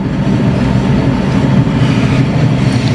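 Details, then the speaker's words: Rear wheel of a 2020 vehicle (owner reports a bad noise from the rear) spun up off the ground: a steady, rough low growl from one rear wheel, a worn rear wheel bearing, while the other side sounds normal. "me imagino que con esta cosa ok encontramos la toalla es el balero detrás de este lado"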